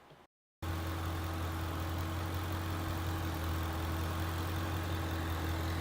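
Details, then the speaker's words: 2011 Ford Mustang GT 5.0 Coyote V8 with Roush exhaust, after replacing all rod bearings and rod bolts for a light knock/tick, warm idle after 15-minute drive: deep even burble, no knock or tick. "so indeed the tick was gone"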